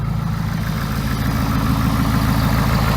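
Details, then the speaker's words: 2017 Ford 6.7 Powerstroke diesel just restarted outside in snow after broken fuel return line barb fitting replaced and fuel primed: deep even idle, steady low thrum, no misses or knocks, no leaks seen. "to check for leaks [Music] i don't see anything leaking which is great sounds good"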